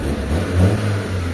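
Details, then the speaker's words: Engine after carburetor tuning, having had black smoke, two dead spark plugs, and a no-start despite a replaced surplus distributor: now one-click starts even when hot, revs cleanly with an even drone, no misses or popping; normal running. "Tapos dito sa makina, tahimik na mga boss. Kasi kanina patay yung dalawang spark plug."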